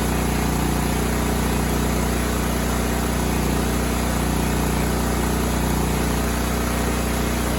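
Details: Cub Cadet 2166 mower, 16hp horizontal Kohler Command single-cylinder engine, running after a new fuel pump and a replaced brake spring switch activator. It needed priming, then held a steady, unbroken thrum around 200 pulses a minute with no surging. Healthy.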